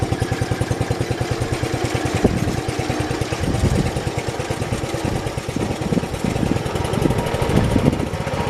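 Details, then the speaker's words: 1968 John Deere 112 mower after variator adjustment: small single-cylinder thumping steadily then stumbling unevenly; rough running, owner suspects carburetor needs cleaning. "so i think the carburetor might need clean as you guys saw i had to mess with it a little bit to get it to actually want to go"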